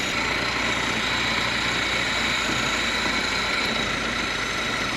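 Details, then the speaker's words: Fiat 124 Sport Spider off the road since at least 2011, running on its old tank fuel: smooth, even idle with a steady low beat over a hiss, no misses, ticks or knocks; normal idle. "We're just running off of its own gas. Sounds good, don't it?"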